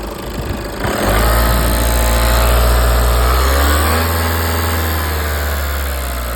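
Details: Audi 2.0 TDI common-rail diesel: engine catches and settles into steady idle with a light, fairly regular tick over the clatter; cause not evident.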